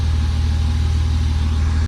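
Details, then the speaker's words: BMW E36 M3 after replacing water pump, thermostat, serpentine belt and belt tensioners, idling while the cooling system cycles and warms up: steady, even low hum with no knocks, ticks or misses; healthy warm-up idle. "we're gonna let this thing cycle through it's going to take a little while but I'll give you guys updates as we go sounds good though"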